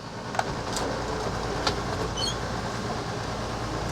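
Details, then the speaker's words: Coachmen Sportscoach 380MBS Class A diesel pusher (Freightliner XC) slide-out after cleaning gears and rails with mineral spirits: steady even motor drone, no clicking, binding or grinding; normal operation restored. "that's moving pretty good good moving pretty good all right we've have uh as far as I'm concerned we have restored the uh full functionality of our slide out here in the old RV"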